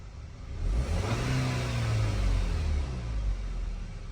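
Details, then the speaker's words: 2011 Volkswagen Eos 2.0 TSI after OEM PCV valve and timing cover gasket replacement fixed a vacuum leak and misfire, revving deep and even, settling cleanly with no stumble or codes; normal revving. "I guess we got it fixed. I was nervous for a second, but man, playing around a little bit, letting it idle out and worked out perfectly fine."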